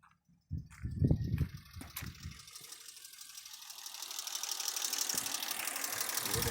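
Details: Toyota Mark II with 1G-FE engine, smoking heavily, shaking once warm from cylinder four: it fires and settles into a rising idle with faint, uneven tapping; knock, source not pinned down.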